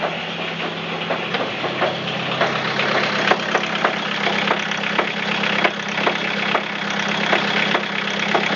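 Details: Toyota Caldina 3C-TE diesel at idle: sharp knocks about twice a second over a clattery idle, felt in the piston area and through the whole engine; deep bottom-end knock, cause undetermined.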